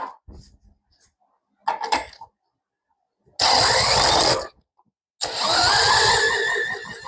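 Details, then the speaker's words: WEN 3500 portable generator, 7 hp engine, no-start: short cranking bursts, then catches for about a second and dies twice on starting fluid; not getting fuel to the carburettor. "It's a good sign. Well, maybe not a good sign, but see, it wanted to run when I sprayed starting fluid in it. So, it's not getting proper fuel."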